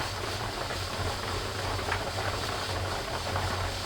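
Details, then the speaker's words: Presto pressure canner raw-packing carrots, heat at about 3.5–4, dial gauge nearing 11 lb: continuous airy hiss over low burner rumble as pressure builds, with the weight just beginning to jiggle, which is normal. "starting to jiggle just a tiny bit we're not up to full pressure yet"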